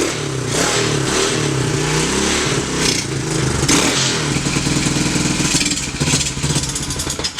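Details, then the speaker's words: Free, previously seized TAO pit bike with choke on: the engine runs rough and uneven, then falters toward stalling. Owner thinks it may be out of gas; the carb may need a bath or swap. "think it might be out of gas. I don't know if that carb's going to come around or if we have to put it in the carb bath."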